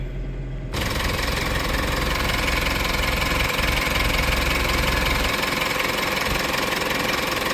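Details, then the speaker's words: Mitsubishi diesel idling with the bonnet open during ECU injector (SQL/pilot) learning, as fuel pressure cycles up and down: steady, slightly rattly clatter at about three beats per second. This is normal during learning. "So that's why you will hear the engine um sounds maybe rattly maybe RPM go high sort of stuff."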